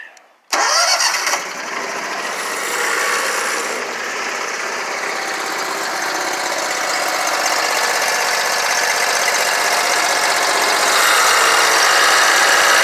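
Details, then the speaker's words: Scag Tiger Cat II zero-turn mower, Kawasaki FX691V engine, after fixing bent pushrods, broken rocker holder on cylinder 2, stuck choke, clogged fuel filter and adjusting valves: short crank, catches at once, steady even run with no misfire or backfire; previously backfired on one cylinder. "So she's 100% better."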